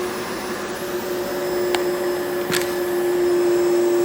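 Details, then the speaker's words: Worn, heavily used Dyson DC25 upright vacuum: steady motor whine with sharp irregular pops from the motor, barely any suction; judged not worth repairing. "The suction might be fine, but can you hear the motor popping?"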